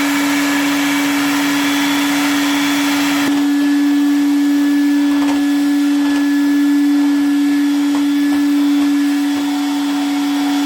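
Steady high motor whine with a constant pitch and an even airflow rush, no rattles or grinding; vacuum motor running healthy.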